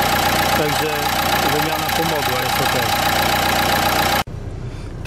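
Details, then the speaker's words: Dacia engine idling after alternator pulley replacement (faulty one-way clutch pulley on the PK belt had caused idle shaking); steady even hum with no rattle or shudder from the belt drive, healthy accessory drive. "normalnie jeśli jest wszystko OK to jest silniczek gdzieś za tylko mruczy tak jak teraz nie słuchasz tych drgań"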